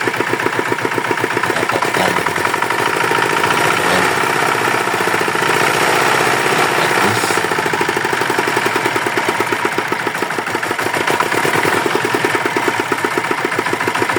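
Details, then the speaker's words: Yanmar DX tractor with a Chinese single-cylinder diesel, repaired after reportedly seizing from low oil: an even, steady chugging idle with no knock or misses. It runs normally. "Oke mesin sudah hidup normal bagus"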